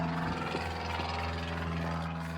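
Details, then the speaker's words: 2015 Chevy Tahoe police package with 76,480 miles and passenger front collision damage: engine sounds good, but seconds after start the fan kicks on with a loud whirring drone and rubbing underneath; cooling fan rubbing on damaged parts. "The problem is that after it starts, just a few seconds in, the fan kicks on and the fan is rubbing up on something. So it just makes a loud noise."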